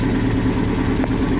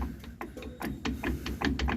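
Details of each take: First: 2006 Nissan pickup after replacing the worn rear driveshaft universal joints, rear wheel jacked up and spinning in gear: even, smooth hum with no clunk or squeak; the road noise from the rear is gone and the driveline is normal. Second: 2006 Nissan pickup with a loud rear noise while driving: driveshaft rocked by hand gives irregular sharp clicks and clunks from the failed universal joint at the differential yoke; the three U-joints are to be replaced.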